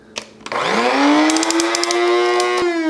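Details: Cuisinart Supreme Grind burr grinder grinding on the finest setting: motor spins up quickly to a steady even mid-pitched whine with light crunching from the beans; normal operation.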